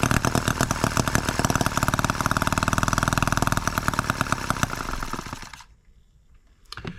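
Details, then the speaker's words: Microcosm H74 engine on the bench, first start by drill after piston ring replacement for low compression: fast, sharp buzzy firing that wavers in rhythm, then dies after five seconds; it runs but probably needs carburetor adjustment. "think we do need some carburetor adjustment but there you go it's a runner guys"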